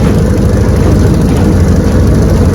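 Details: Restored 1971 Evinrude 9.5 HP 9122R outboard on lake test run: low, smooth burble holding steady under wind and water noise; idling evenly and healthy, normal idle.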